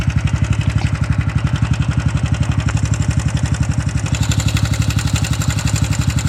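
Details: Honda Super Cub 110 JA44 idling with a steady, even knock about four times a second over the exhaust beat; the noise began suddenly while commuting, and the owner doesn't know what broke.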